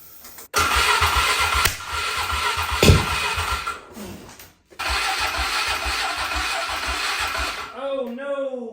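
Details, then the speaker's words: Polaris Sportsman 500 ATV revived after sitting long, has spark and clean oiled air filter, battery dying: single-cylinder fires in ragged bursts, drops out, restarts, fades, won't hold idle; runs poorly and stalls, dirty carburetor suspected, not confirmed. "Well, as you can see, it doesn't run very good because I didn't really get it running at all. That could be because the carb's dirty."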